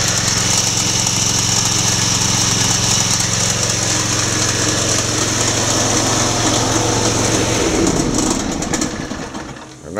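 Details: 26 hp Briggs & Stratton Intek V-twin 445877-0760-E1: loud busy clatter over steady beat until shutdown; drive belt tensioner pulley bouncing back and forth, likely from the old, hardened belt.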